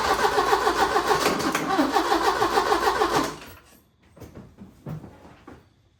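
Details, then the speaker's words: 1980 Porsche 924 Turbo, new fuel filter, starting fluid sprayed into intake, jump box possibly weak: starter churns about 3.5 turns per second for three seconds, never catches; cranks, no start. "All right, so we've been shooting some starting fluid right here in this hole, and let's see what it does. Almost something."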